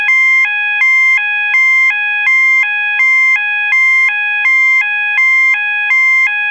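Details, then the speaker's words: System Sensor MASS121575ADA sounder, 800/1000 Hz alternating high-low tone set with clips A and C: clean two-note tone flipping roughly 80 times a minute, slower than similar sounders; working properly. "the next tone that we're gonna do is 800 and 1,000 alternating also known as the high-low tone and it does sound like the high low on the gos except this one this tone is a little bit slower high-low than the gos"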